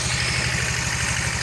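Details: Yamaha Fino scooter that had stalled with a 46-blink indicator code: after repairing a burnt charging wire and replacing a weak spark plug, it runs with an even, steady putter at idle, no misses or knocks, running cleanly.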